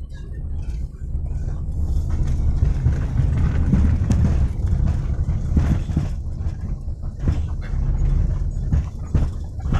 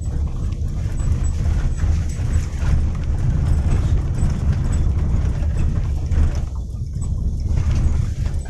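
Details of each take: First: Rear of a Daihatsu Xenia driven over a rough, potholed road: dull irregular "gluduk" clunks from the rear over road rumble, caused by worn rear stabilizer rod rubber bushings. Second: Daihatsu Xenia rear suspension after repair of clunking over rocky, potholed roads; the lateral stabilizer rubber from axle to body is noted as the usual trouble spot. Now quiet: steady road rumble, no knocking or thudding from the rear.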